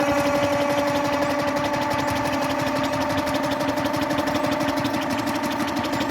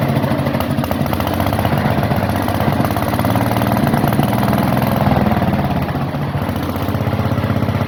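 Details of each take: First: Onan generator unrun since the 1980s, cranked on the starter after two-stroke oil was added: a light, uneven cranking rhythm with a whirring tone and no firing. Owner suspects a hanging valve and may need to pull the head. No start. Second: Onan generator last run around 1983–84, revived: steady, even single-cylinder thump at constant speed with no misses, knocks or surging. It is running healthy.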